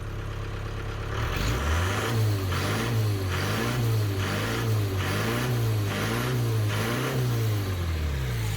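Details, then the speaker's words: 1993 Ford Transit camper van diesel with power loss and heavy black smoke, EGR valve blanked off with a plate: revs up cleanly in repeated blips, rising and falling smoothly with no hesitation; revs more freely now. "much better so so much better if I take this off kind of just put that in there it revs up it felt like it revved up a lot easier"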